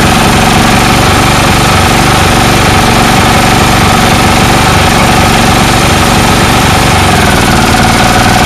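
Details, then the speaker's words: Snowblower engine with a non-adjustable carburetor that only keeps running with the air cleaner off: loud, ragged, stumbling run. Owner suspects the carburetor float intermittently sticking. "it's like the carburetors stuck sometimes stuck up not stuck at other times like a float so i'll fire it up for you show you so so"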